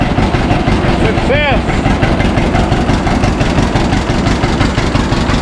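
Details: 1952 John Deere G two-cylinder tractor just started after about four years stored, after refuelling the correct tank and fixing leaks; slow loping putt about three beats a second, steady and even with no knocks: healthy normal running.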